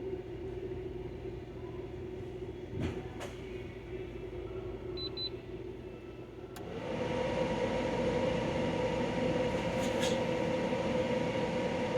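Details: De'Longhi Pinguino portable air conditioner, model PAC AN370G1W: steady hum stepping up sharply as it kicks to full blast, then holding an even tone; cooling well, running normally.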